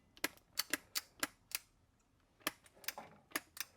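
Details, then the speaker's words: Black & Decker LST220 cordless string trimmer, new battery fitted, safety off: sharp dry clicks with each trigger press but no motor hum, trimmer stays dead; head unit then opened to trace power. "I hear it clicking, but uh nobody's home."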